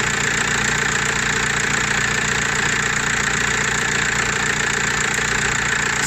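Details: Audi/VW-group car (Audi A4 B7, Golf 4/5, Seat or Skoda) at steady, even idle with a smooth mid-pitched hum and no knocks or squeals, after the noisy alternator was repaired; engine sounds healthy.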